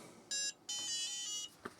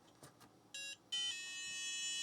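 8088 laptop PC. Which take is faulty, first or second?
second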